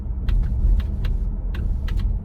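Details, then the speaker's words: Roof popping and clicking over bumps from the MIC hard top on a 2022 Ford Bronco four-door Badlands, heard right overhead. Sharp pops and clicks ride over heavy road rumble while driving; a manhole clank is also heard. Cause not confirmed. "let's hit a bump and see what we hear all right you hear that so that was a manhole in the road going clank too but this click up here is kind of annoying"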